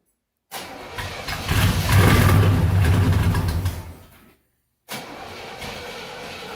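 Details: 1969 Chevelle Malibu, cold start after being parked several winter months: starter churns before the engine catches and surges into a rough, loud run, dies away, then restarts to a lumpy idle. Hard cold start; cause suspected, not confirmed.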